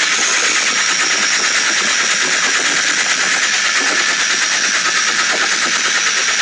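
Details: Late-model Porsche 996 911 Carrera 4, noise present about two months and 2,000 km; it stops when lifting off the throttle while driving, so owner suspected the fuel pump. Harsh metallic rattle about three per second over the running engine; internal engine failure, engine replaced.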